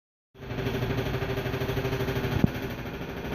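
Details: Brand-new LG 3250 washer, just plugged in: fast, uneven tapping/clicking over the low hum; tapping noise, cause unknown.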